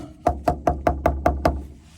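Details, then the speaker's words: Crawlspace drain line back-pitched toward the toilet and not level. Seven even, dull taps about five a second with a solid thud and no hollow ring, because the pipe sits full of water held by the lack of pitch. "So water is being held in this pipe because it doesn't have enough pitch on it."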